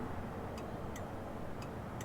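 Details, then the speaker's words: 1961 Chevy Apache truck revived after 20 years parked, turn signal switch positioned in its sweet spot: crisp flasher clicks, about four in two seconds, evenly paced over a quiet background; normal turn signal flasher operation. "So, if you watch hear the flasher. So, I think that's right, off left. Boom. Right there in its sweet spot."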